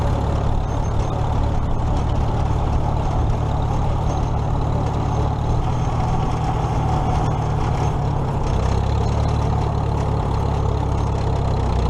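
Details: Old tractor (the H) after alternator repair (loosened nut fixed), running for a ride before the 2017 Nowthen Threshing Show; deep steady low rumble holding even, no knocks or misses – normal running.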